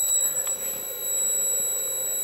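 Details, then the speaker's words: Elkin 2 tube mobile linear amplifier, recapped with good tubes, on the bench, warmed up and tuned: steady high-pitched multi-tone whine from its switching power supply, normal for tube amps with that supply type; no fan in the amplifier. "That whining is what all tube power supplies, well, tube amps with the switching type power supply do. That's the switching back and forth, and it's at a rate that you can hear that switching, and that sounds like the whine"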